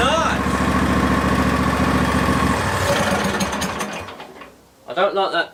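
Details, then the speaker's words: Barn-find Hayter ride-on v-twin mower, second start from a jumper pack: an even, lumpy v-twin beat with no misses or pops, then it cuts out. Both cylinders firing normally. "at least we got run sounds nice as well I like the nice v-twin"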